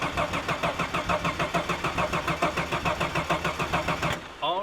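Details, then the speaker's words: Long-sitting Ford Fairlane with 302 V8 in a paddock: starter churns about two cycles a second with no firing; engine won't catch, and no fuel pump is heard, suspected dead fuel pump. "that sounds like a dead fuel pump i can't hear a fuel pump"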